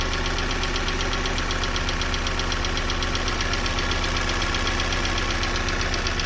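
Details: Opel Z16XEP engine on a cold start: cold idle carries a sharp, regular knock about two to three times a second over the engine hum; cold-start knock, cause suspected but not confirmed.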